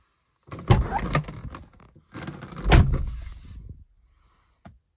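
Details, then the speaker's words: Mazda RX-7 FD door after installing sound-deadening insulation (doors originally sounded like tin cans): swings and shuts with a deep, dull thud, no tinny ring, only creaking door plastics noted; solid door closing thud. "Sounds like a modern car. You know, except for the creaking door plastics. So good. I'm very happy with that."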